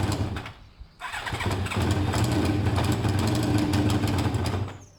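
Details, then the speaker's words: BMW F650 warming up with intake restricted by drilled holes (two per cover): engine catches after cranking and settles into a steady, slightly uneven beat while balancing too much versus too little air. "So we're just trying to find the balance between too much air and not enough."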